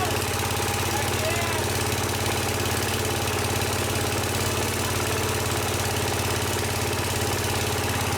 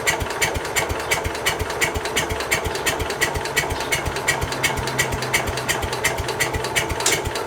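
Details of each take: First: Case 222 lawn garden tractor, sat about four years, after starting fluid: engine catches and keeps running at a steady, slightly uneven idle, rough but sustained; running after long storage. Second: Case 222 lawn and garden tractor, sat about four years, first start attempt with a new battery, full choke and half throttle: even starter cranking about three strokes a second with no catch. The engine turns over but won't fire.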